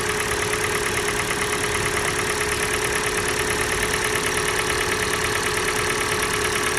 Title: Стук двигателя Kia Sportage G4NA. Холодная. Отключение катушек